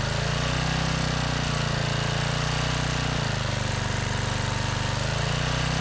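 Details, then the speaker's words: Generac 5000-watt generator recovered from the trash, with a new carburetor and the kill switch, found mounted upside down, corrected; the small petrol engine runs steadily with an even, buzzy beat and brief load swings. Normal running. "So we got it wired right, we just got the switch upside down. That's all."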